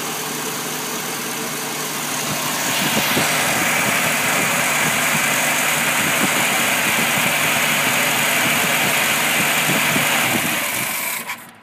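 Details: 1965 Ford Mustang 200 six after sitting all winter; carb rebuilt, new fuel pump and distributor, fresh fuel, timing set: rough, lumpy idle for several seconds, then falters and dies; hard starting and stalling, cause unknown.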